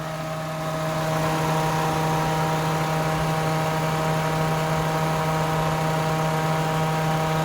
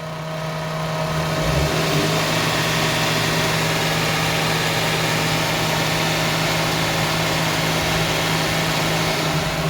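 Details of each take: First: Toyota 1JZ VVT-i running on petrol (car also runs gas), after new spark plugs, throttle fixes and clearing codes 21 and 24 (O2 and air temperature sensors), at start-up: steady even idle with low hum, no misses. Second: Toyota 1JZ VVT-i on petrol, stumbling and not accelerating; spark plugs and throttle linkage already addressed, two fault codes found: idle hum wavers and stumbles, slight throttle makes it stumble and even stall; cause unknown.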